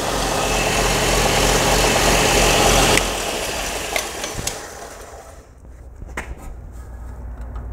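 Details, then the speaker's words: 1970s Craftsman belt grinder, first test after a motor mount modification: steady, even motor roar with no knocking or rubbing, then a smooth coast-down to quiet; solid and healthy, far better than before. "Take a look at that. Oh my God, that thing is working perfect. Yes. That looks really solid, way better than"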